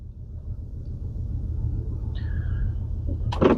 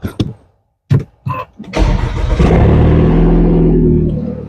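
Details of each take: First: 2013 Audi A4 petrol engine idling with a heavy misfire: low, uneven thumping and strong shaking, flashing engine light, codes P0300 and P0304 for cylinder 4. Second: 2013 Audi A4 after a P0304 cylinder 4 misfire with a flashing engine light: a few cranking clicks, then a steady, even idle with no stumble. Replacing the bad ignition coil fixed it.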